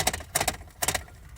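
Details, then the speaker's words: Lada Priora 2: sharp plastic rattling in quick bursts, heard on every bump, from a loose alarm or control module behind the side trim and glovebox under the dashboard knocking in its mount. "вот такой звук. На кочках всегда слышно."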